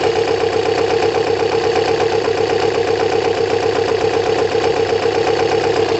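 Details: Kawasaki ZL600 after valve adjustment, new coils and resealed exhaust, warming up, about 3 L fuel on reserve: steady even idle, smooth exhaust pulse, no misses, ticks or leaks; engine sounds great.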